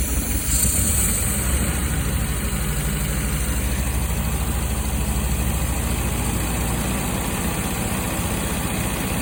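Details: 1974 MG MGB petrol engine idling with a lumpy, uneven rhythmic misfire; root cause was 2 bad spark plugs.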